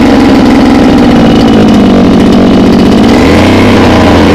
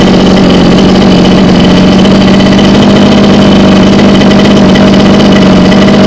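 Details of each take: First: Mini water pump engine, two-stroke, running on petrol-oil mix, hard to start: once running it buzzes high and hard, hunts briefly, and can't be throttled down to idle; engine races, will not idle down. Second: Mini water-pump engine, two-stroke on premixed gasoline, holds a steady, even buzzing idle with no hunting or misses after repair; it had been hard-starting and racing uncontrollably because of fuel starvation.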